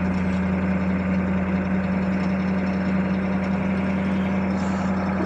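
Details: 1982 Chevy Blazer 6.2 diesel, cold start at about 20°F after three days sitting, new glow plugs, about 40 lb oil pressure, charging: smooth, steady idle with an even low drone and no knocks or misses; normal idle.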